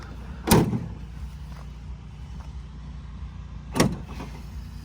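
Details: 2017 Ford F-150 power tailgate after replacing the weak actuator: two solid clunks over low idle hum as the latch releases and gate opens normally.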